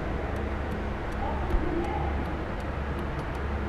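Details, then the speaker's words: Nissan Micra horn relay heard while the horn pad is pressed, with the fuse already checked: light, even ticks about twice a second over a low hum. The relay is clicking in and working normally. "है यह इस relay के अंदर से आवाज आ रही है इसका मतलब रिले ओके मैं अपना काम कर रही है"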